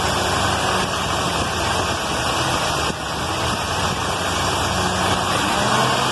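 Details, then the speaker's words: Carbureted points-ignition car after the dwell was reduced from 40 to 30 (spec 26–33) and the idle lowered; rough, uneven idle sags near 3 seconds as if about to stall and won't stay running. Owner suspects the carburetor or the points. "but it still still won't stay idle in and it's still crapping out I don't know if that's carburetor or if I still need to replace the points or not"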